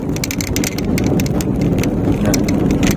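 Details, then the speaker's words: 2018 Honda Brio 1.2 automatic driven on bumpy, uneven asphalt at speed; irregular sharp plastic ticks and clicks from the dashboard panel over road rumble, an interior rattle the driver suspects is from a not very rigid dash. "entah kenapa, ada suara di dasbor. Panel dasbor juga mengeluarkan suara, jadi kemungkinan besar tidak terlalu kaku."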